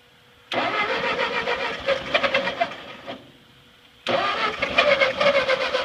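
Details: Ford 8N tractor that sat at least 4-5 years, first start attempt with fresh gas, carburettor drained and choke used: two bursts of fast cranking with ragged sputters that never settle into a run. Cranks but won't start.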